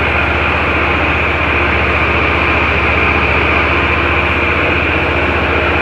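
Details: Ferris IS-3200Z zero-turn mower with Vanguard engine, after spring maintenance including oil, plugs, fuel and air filters, and ZT-5400 hydro oil change while purging air from the hydro lines: steady, even drone with a light hiss, no knocks or surging; running normally.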